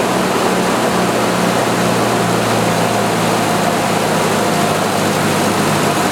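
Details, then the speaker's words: 1986 Jeep XJ 2.5L four-cylinder after repairing the idle speed control DC motor with a new rear bushing: idle briefly higher at start, then settles to an even, steady hum with no knocks; normal idle. "so I'm sure you can see as soon as the engine shuts off this thing comes back up and lifts this open and what happens is when you start it it gives it a little bit higher of an idle and then as you heard after I started the idle Creek back down so this thing's working pretty good"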